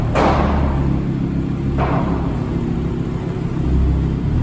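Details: Audi R8 Spyder V10 start with valves open: deep roar on ignition, a second heavy thump about 1.5 s in, then an uneven rumbling idle with misfires.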